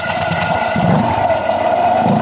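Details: Honda Click 125 after valve clearance readjusted (0.05 mm feeler) to cure loss of compression and hard start: engine catches and settles into steady, even running with no misses or tapping; normal running.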